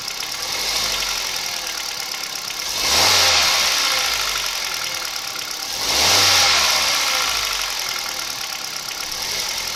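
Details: 2011 Kia Picanto 1.2 G4LA, 96,400 km: steady idle with a light knock underneath that carries through two short throttle blips; unexplained knock inside the engine, cause not pinned down.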